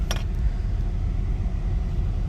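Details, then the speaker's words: 1993 Nissan Pathfinder XE V6 automatic with rebuilt engine and transmission, new injectors, MAF and idle air control valve, warm idle after a few miles of driving: low even rumble, no ticking or misfire; sounds good. "so i'm idling right now after driving it a few miles out here"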